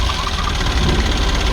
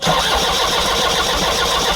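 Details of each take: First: Kia Bongo diesel with electronic pump that wouldn't start, after the repair: loud, steady diesel clatter with even low rumble and no misses or odd knocks; idling normally. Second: Kia Bongo diesel with an electronic pump that won't start: starter cranks evenly at about 220 rpm for four seconds and never fires; the fuel shutoff solenoid was stuck closed, and removing it let the engine start.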